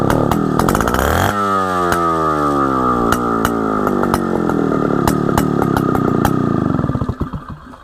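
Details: Solo 626 (Solo 60126) 1960s 70cc two-stroke chainsaw, revived after sitting long: revs up, holds a steady high buzz with clean pitch, then drops away evenly; runs very well, before fuel system and carburetor service.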